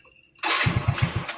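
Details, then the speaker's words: Yamaha Mio J scooter after another shop rebuilt it with new cylinder block and rings: engine throbs in uneven low pulses and won't hold idle; error code 79 indicates a leak at the ISC area, also lacks power; cause suspected. "tuh suaranya tuh, nggak stabil teman-teman ya. Ini coba kita lepas. Ini nggak bisa langsam teman-teman."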